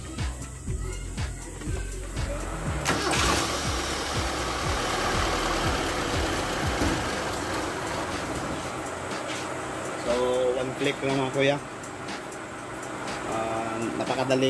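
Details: Kia Pride CD5 with hard starting, after starter repair with new carbon brushes: a sharp burst of cranking, then the engine catches first try and runs evenly under background music; starter working normally.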